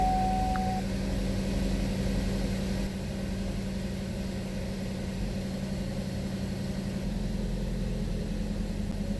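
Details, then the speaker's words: 2012 Buick Verano 2.4L at idle just after replacing intake and exhaust camshaft position actuator solenoids (code P0013); steady, even, smooth low hum with no knocks, misses or hunting. "Time to turn on the car, plug this back in, clear the codes, and see if it continues to run a lot smoother than it did."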